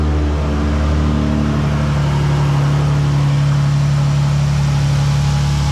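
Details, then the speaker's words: 2012 Dodge Challenger 3.6L after workaround repair of a loose crankshaft bolt that broke the balancer and sheared the keyway, causing overheating: loud but steady idle, belt and water pump turning, no slapping, knocking or squeal. "Wow, that's loud. All right. So, the belt turns, the water pump turns, everything turns."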